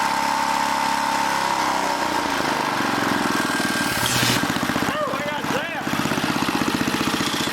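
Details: Old 1980 rototiller single-cylinder engine sagging and surging instead of holding speed; the throttle link, bent and distorted by someone, is hanging up, so the mechanic tries straightening it.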